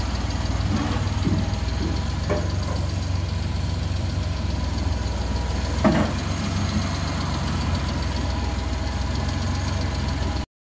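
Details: Suzuki Multicab F6A petrol engine at a steady, even idle with a smooth low rumble, no misses or knocks, after a shorted fuel pump blowing the ignition coil fuse was fixed; running normally.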